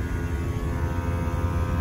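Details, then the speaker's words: Mitsubishi/Daikin mini split outdoor unit, R410A added for poor cooling with no error codes, amperage raised toward 15 A, 55°F suction line: deep steady hum with pulsing drone, compressor louder and working harder under load. "went up it's getting louder it's doing more work"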